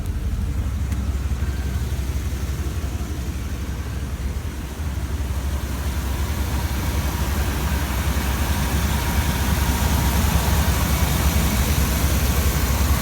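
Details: 1993 Dodge Roadtrek 190 Versatile camper van: engine idles with even, steady low rumble, no knocks or ticks, speed constant; normal idle.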